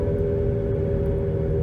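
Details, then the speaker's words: 2011 Nissan Rogue FWD with new balanced tires, road test up to 60 mph before replacing both front hub bearings; steady droning hum with a fixed note while coasting, slight pedal and steering wheel vibration, about 72–75 dB at 50–60 mph; worn front wheel bearing. "A nice hum, some vibration in my pedal, vibration in the steering wheel, slight."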